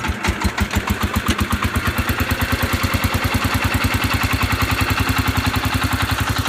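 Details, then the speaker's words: Cub Cadet 149 garden tractor, rebuilt K-series single-cylinder, new connecting rod, low idle with a sharp even knock each revolution over the exhaust; owner assumes the rod, possibly the new rod, cause unconfirmed. "let me start it for you guys so you you guys know what broad knock sounds like that way if you're buying a tractor you can you can tell basically what it is"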